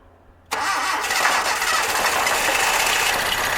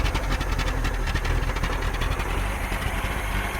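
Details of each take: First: 1982 Datsun 720 4x4 with electronic ignition, being revived after long neglect, catches and revs roughly for about five seconds then dies; keeps running only while fuel is squeezed into the carb. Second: 1982 Datsun 720 4x4, 41,000 miles, probably long unstarted, carb worked on, fuel system cleaner through old gas, warming to operating temperature: fairly even low idle rumble, steady without misses, settling into a clean idle.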